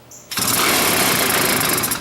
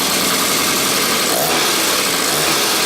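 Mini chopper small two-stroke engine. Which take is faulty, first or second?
first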